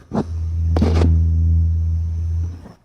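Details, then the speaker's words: PC power supply opened up, PC idling, microphone placed down inside: steady low electrical buzz with a faint high whistle, coil whine from one coil. This is before the hot-glue fix. "next step now the piece is on idle mode it's buzzing probably you can hear it I put my microphone down there"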